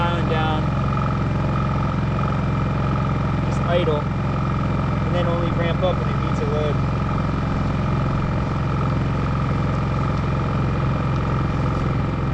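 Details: New WEN 56380i 3800-watt inverter generator on concrete, full power with eco mode off: even, steady drone with constant low hum, no surging or knocks; running healthy.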